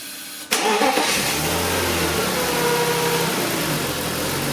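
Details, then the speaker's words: BMW E46 with unstable idle, started after removing, checking and refitting the DISA valve (suspected not closing): catches instantly, quick rev blip, then steady even idle with no dips or hunting; sounds healthy. "como habéis escuchado hemos arranca el motor no se ha escuchado ningún rapeo eso es muy muy buena señal le hemos acelera un poquito tampoco se ha venido abajo muy buena señal"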